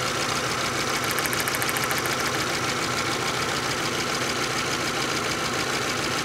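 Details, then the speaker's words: 2012 VW Jetta GL 2.0L with P0301 misfire: with new plug wire on cylinder 1, sharp even snapping about three times a second over running engine as spark jumps about a one-inch gap, much louder than before; strong spark. "you do hear that the spark is able to jump that big about a about an inch of Gap and what a difference on the sound of the spark it's much louder than before"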